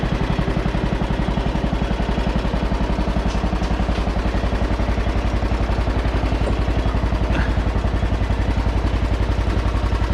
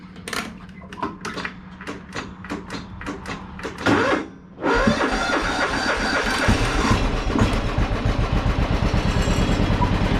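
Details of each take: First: John Deere with 1,173 hours, possibly worn oil seals: even, steady thumping at about four beats per second with no knocks or misses. It runs smoothly and sounds good for its hours. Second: John Deere mower with 1,173 hours, restarted after being moved into the garage: single-cylinder cranks, catches, then a steady, slightly uneven, rich-sounding idle. It is loading up a little but otherwise not bad.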